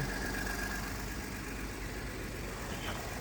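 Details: 2012 Ford F-150, sat dead for years, idling after a Lectron jump start; quiet steady idle, even low rumble, no knocks or misses: normal idle.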